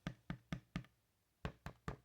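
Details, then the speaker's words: Sansui SP-3000 woofer getting a JBL 2235H replacement surround, tap-tested while the adhesive dries. Light taps sound dull with a slight scrape; voice coil rub, to be fixed by pulling the surround the other way, reseating it and retesting. "This is rub. So we need to pull it in the other direction, press the surround back down very lightly, just enough to seat it, and then do our tap test again."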